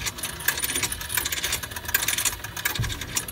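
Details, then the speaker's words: Shower bus 50-foot electrical cord being returned onto its reel after pulling until it starts to retract, cord guided back and forth across the reel; quick irregular metallic clicking and ticking, no grinding or binding, normal cord reel retraction. "As you return the cord in, pull it till you hear it start to retract."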